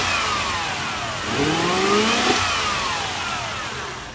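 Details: Toyota 1UZ V8 revving up and falling back, with an uneven, lumpy rough idle underneath; no clear cause identified.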